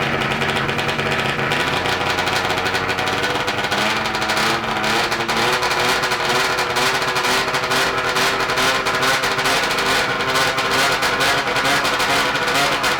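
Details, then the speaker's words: 1994 Ski-Doo Mach 1 670cc two-stroke go-kart engine sits at a steady, fast, raspy idle that never settles; idle screws untouched, cause unknown; plan to back out screws and fix fuel leak. "anyway so i don't know why it's uh idling so high but we'll just back out on them screws and hopefully get this thing idling"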